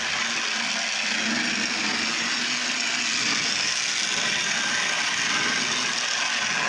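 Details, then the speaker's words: Lionel Tie-Jector toy train car after repair, running on brand-new track with dirty wheels and a suspected track continuity problem: thin steady high whir with light mechanical chatter as the mechanism works, no snags or stalls. Normal motor running. "There's the mechanism working."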